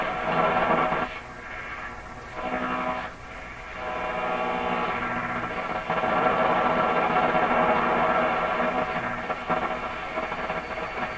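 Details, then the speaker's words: 1940s (maybe 1942–43) RCA Victor A38 shortwave tube radio, reassembled, band A tuned to 640: loud rough hiss with steady putt-putt pulsing, a huge noise signal from household interference of unknown source; the antenna is then re-aimed. "A huge noise signal right on 640. I'm going to adjust the antenna in The putt-putt is some kind of interference."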